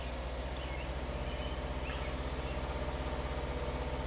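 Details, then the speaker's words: 2020 Subaru WRX, turbocharged direct-injected, idling after an owner DIY tune-up (plugs, air filter, oil, injector cleaner) and later losing power and stalling: lumpy shaking idle with a dull uneven thump, cylinder 3 misfire, blinking check-engine light, short-term trim rising, from a loose plug. "Let's fire it up. It's shaking a lot. It definitely feels like it's a misfire on cylinder 3 right there. Check engine light's blinking."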